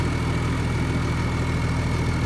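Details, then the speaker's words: International 1255 XL six-cylinder diesel tractor after valve lash adjustment, head gasket recently replaced: smooth even idle with deep steady beat and no valvetrain ticking, running like a sewing machine; normal idle. "oh yeah listen to that absolutely running like a sewing machine when these engines so it sounds beautiful look at that this is a six cylinder engine"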